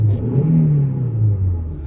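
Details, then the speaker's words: Opel Vectra B Y16XE engine, previously in limp mode with poor revving, after clearing inactive fault codes: smooth steady low rumble with easy rise and fall in revs, no knocks or misses; accelerator and throttle work, no errors. "Все працює. І акселератор теж працює. І дроссель теж працює. По ньому немає помилок."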